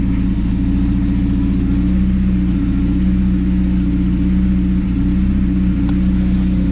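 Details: Honda EK Civic four-cylinder after new NGK spark plugs: steady, even idle with no stumbles or misfires; an exhaust leak is present.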